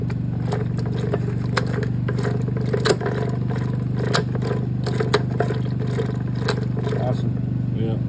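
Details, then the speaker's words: 1957 Chevy with fresh engine on its first 2024 drive, V8 idling: firm, irregular clunks as each gear drops in on a dog-ring gearbox with no synchros; normal dog-ring engagement clunk. "there's no synchros in these they just you got to your dog ring drops into those notches yeah she is just a male female action why you can shift it so fast it's also why it's quite clunky you hear that when it goes in gear like clunk"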